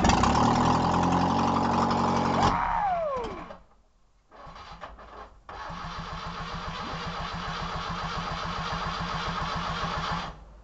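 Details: Moskvich Rila 1400 after an engine rebuild cranks and fires, dies after a couple of seconds, then restarts into a steady, even idle before shutting off. Normal start and idle.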